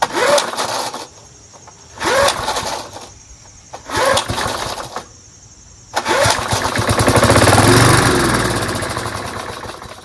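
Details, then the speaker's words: Curbside-found Snapper Hi-Vac push mower, pull-started without enough fuel, its tank reservoir bowl unfilled. Owner suspects debris in the tank to blow out. Three short one-second bursts, then a brief run. Spark good, runs only on little fuel. "Maybe I should just put some gas in it, huh? I think I just have some stuff in the gas tank I need to blow out."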